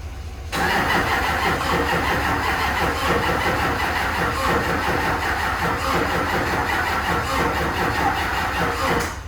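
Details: HMMWV Humvee Duramax LBZ diesel swap after FASS fuel system install, first start attempt: about nine seconds of steady cranking that never catches; owner suspects the system isn't primed, battery also doubtful.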